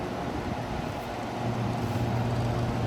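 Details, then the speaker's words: Masterbilt display freezer, intermittent temperature problems; 65 PSI, 210 V in and out; compressor should be running but isn't, repeated buzz-click heard as it tries to start against overload; failed capacitor. "Ooh, did you hear that? Bzz, click, bzz, click."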